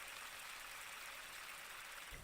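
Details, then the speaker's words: Cheap three-arm plastic fidget spinner, stock bearing held to the microphone, gives a steady, gritty high-pitched hiss; poor-quality, noisy bearing with the spinner shimmying out of balance. "So one finger balance now. Quite a noisy bearing, and look how much it's shimmying."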